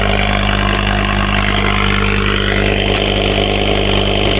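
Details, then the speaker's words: Ford Focus ST/XR5 Turbo idling after exhaust leak repair: even, steady idle with no exhaust puffing or ticking, much quieter than before; earlier misfire and cutting out linked to the leak. "Moment of Truth let see how we do see if our little exhaust misfire problems gone come on ah much quieter"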